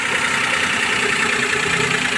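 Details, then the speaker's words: Maruti Suzuki Alto 800 three-cylinder petrol idling smoothly and evenly with a steady airy whoosh after a misfiring cylinder was fixed; all three cylinders now working, radiator fan running. "तीनों cylinder बढ़िया काम कर रहा है पहले ये वाला काम नहीं कर रहा था"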